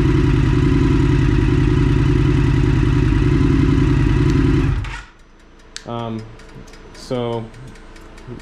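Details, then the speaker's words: 2022 Indian FTR1200 twin with aftermarket Toce exhaust, new NOCO lithium battery: deep, even thumping at steady revs for five seconds, then shut off; smooth, mellow healthy sound. "she likes this system it's just enough it's it's nice mellow sound"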